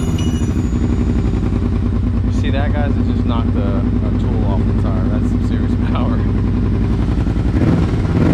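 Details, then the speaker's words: Kawasaki Brute Force 750 ATV with a BigGun Evo aftermarket exhaust: deep, even exhaust burble with a slight throttle blip at the end; loud but not ridiculous, healthy-sounding engine. "sounds freaking amazing i ain't gonna lie it's not too loud where it's like ridiculous it's loud enough to make someone turn your head and be like uh what the heck has he got"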